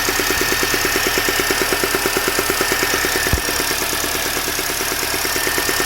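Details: Mini Cooper S R53, from the top of the engine, cold or fully warm: steady fast ticking/popping, about three a second, over a smooth idle. Owner suspects early cam chain tensioner problems; not confirmed.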